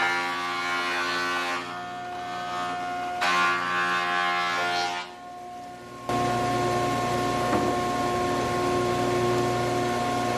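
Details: Large planer from a viewer, previously used off-grid to mill sawmill lumber, feeding dry English walnut (swapped from wet Douglas fir) after rollers set just above table flush: steady motor hum, then even cutting roar without chatter or bogging; running normally.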